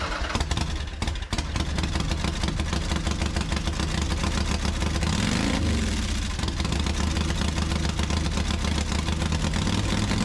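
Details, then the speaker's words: Harley-Davidson Softail carbureted V-twin running loud, lumpy and uneven with one throttle blip; won't hold idle without throttle, near normal around 2500 rpm but poor above; carb cleaned before and fuel changed, owner unsure if misfire or fuel starvation. "Kind of hard to tell from the video, but uh it's got a super rough idle. It actually won't keep itself idling at all."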